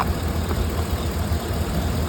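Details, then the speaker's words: 2017 Chevy Silverado 2500HD after radiator replacement (old one split and leaking), engine running with cap off checking for bubbles: even, deep idle with steady fan rush, no knocks or rattles; fan spins freely, no leaks. "so as you can hear the fan spin is sprting pretty fine and we're good to go"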